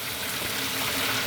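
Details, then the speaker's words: Newly installed boat livewell aerator pump, fill switch on after nozzle tightened: steady hiss of rushing water with faint pump hum underneath, even and unbroken; pump working normally. "So here is our fill switch. Oh yeah, I can hear it going."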